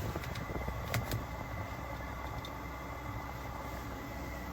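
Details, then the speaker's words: Webasto Airtop 2000 heater at first start-up test in a Citroen Ami. The blower gives a steady, even rush with a faint turbo-like whistle and no surging or popping: running normally. "so that's it right so that's that's working"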